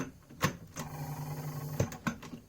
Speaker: even though it still trying to do something with this said that but the sounds it makes it just quite worrying